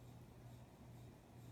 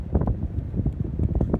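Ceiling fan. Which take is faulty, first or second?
first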